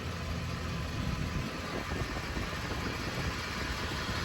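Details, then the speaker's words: 2010 Ford E250 van after a corroded passenger-side frame ground was replaced with a new body-to-frame ground strap, curing a crank-no-start: engine now starts right up and idles quietly and steadily with no misses or knocks. "Once I connected the two, the truck started right up."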